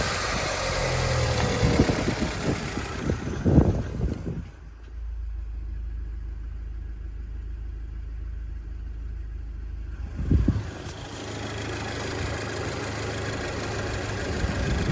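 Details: 2011 Audi S3 8P 2.0 TFSI turbo petrol idling with a low, slightly uneven rumble and an intermittent hiss; vacuum leak symptoms, exact leak location not confirmed.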